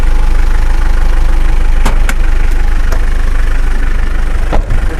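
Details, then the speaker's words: 2014 Mitsubishi Strada/Triton single cab, 2,500 cc turbo-intercooler diesel, 50,000 km, first owner, started after the glow light went out, heard with the hood opened: steady, even diesel clatter at idle with no knocks or misses, healthy. "Masih halus banget suaranya tuh. Yuk, dengerin suaranya kita buka ya."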